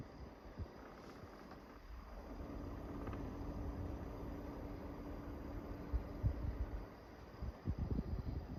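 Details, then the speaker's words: Brand-new Midea U 6,000 BTU window air conditioner at lower capacity, recorded outdoors where the compressor is more audible: a quiet, steady low hum with a soft fan whoosh under light wind, running normally. "Forgot to show the unit from the outside. You can actually hear the compressor better out here than you can in there."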